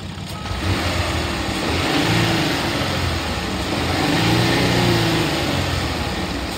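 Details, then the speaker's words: 2015 Ford Taurus Police Interceptor AWD, 3.5 L V6, 45,000 miles, warm after over an hour running: smooth rev blips falling back cleanly, no knocks or misfires; engine healthy, though driving feels rough (possibly mounts). "I'm gonna rev it up so you could hear the motor the motor sounds good"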